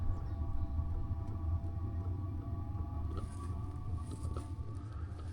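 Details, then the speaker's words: Diesel heater started cold while camping in the Southern California mountains, turned on by holding the button and still preparing: low steady rumble with a soft whirring tone that stays even as it comes up to speed; normal startup. "And then to turn it on, just hold it. So it's turning on right now. Oh, it's cold. It's still preparing, but it's about to start."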